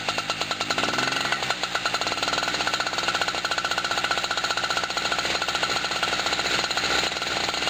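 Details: Generator's first cold start of 2016, on a hot, humid, windy day with only the fuel valve opened and the engine switch on: a quick pull catches, revs rise, then it settles into a fast, steady two-stroke buzz with no misses. Normal cold start and run.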